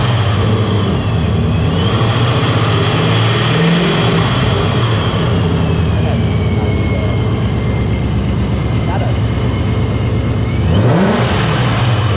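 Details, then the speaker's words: 2021 GT, warmed up, Vortech V3 JT-trim supercharger with Heritage gears: loud steady high whine over lumpy idle, climbing sharply with a blip; normal, very loud compared to the quiet gear version. "That is very, very loud compared to the quiet version. So if you want the heritage gears, there you go. It'll be a lot louder."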